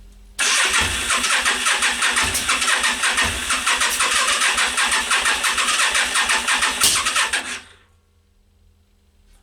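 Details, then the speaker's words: Yamaha Virago XV 500 cafe racer in -5°C cold, refilled with petrol after ran fine a week earlier: about seven seconds of steady cranking with ragged misfiring pops, never catching; owner suspects spark plugs. "was a misfire and a half is do it again right so it's not firing and I'm guessing now is the spark plugs"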